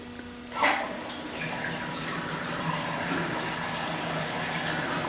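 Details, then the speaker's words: Toilet tank refilling after replacement with new Fluidmaster universal fill valve, supply valve just opened: sharp gush then steady even rush of water into fill pipe via small hose, no squeal or whistle; normal fill. "Now it's filling. All right, and that's what I was telling you. If I show it to you here, so you see the water is going into the fill pipe via that little hose there."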